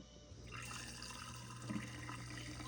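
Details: GE dishwasher, laid on its back, previously not draining with water left in the tub; the drain pump would not turn until tapped. Now a steady low pump hum with water rushing and gurgling evenly: drain pump pumping out normally.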